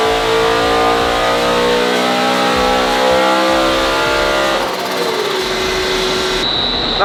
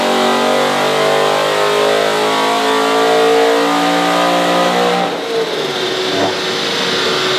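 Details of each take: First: Supercharged BMW E92 M3 on a dyno, base map, after the earth fix: clean full-throttle pull to the top, then a sharp drop as the throttle closes; healthy run, expected just over 600 on this pulley. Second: Supercharged BMW E92 M3 V8 on a dyno, first base-tune pull after warm-up: hard pull with a rough, uneven edge; ECU reports misfire and ignition disabled on cylinders 7 and 8, same fault as before.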